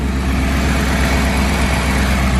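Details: BMW idling after top-end teardown for spark plug replacement and coolant refill, no leaks found; steady, even low idle with no misses, knocks or ticking, smooth settled rumble. Engine sounds healthy and runs well.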